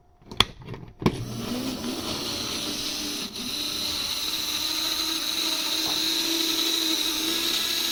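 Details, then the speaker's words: Used HO-scale model monorail bought at auction, unused for a while, only one car powered, first run on possibly dirty track: thin steady high-pitched motor whine with low hum, strained and labouring; owner thinks it just needs a workout, cause unconfirmed. "I feel like it just needs a work out cuz it hasn't been used in a while"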